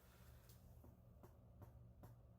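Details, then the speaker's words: Nintendo Switch in sleep mode with a Super Smash Bros. game paused, since the latest SSB software update: a very faint low hum with soft regular ticks about every 0.4 seconds. Intermittent faint noise, cause unclear. "since the latest software update of Super Smash Bros., it has been making some really weird noises whenever I put it in sleep mode while a game is paused."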